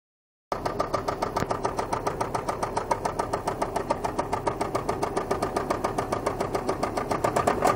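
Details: Volvo 850 Turbo engine while driving: loud, regular knock about three to four times a second over the engine; severe engine knocking, suspected from persistent oil loss or low oil pressure due to clogged oil sump.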